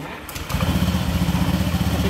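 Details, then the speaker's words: Honda Scoopy automatic after fitting a new clutch shoe assembly (old one's spring detached, making the wheel spin at idle): engine catches after half a second, steady even idle, no rising drive noise; rear wheel no longer creeps. "mesinnya itu rodanya tidak langsung berputar bandang seperti yang tadi ya guys, ketika kampas gandanya masih bermasalah."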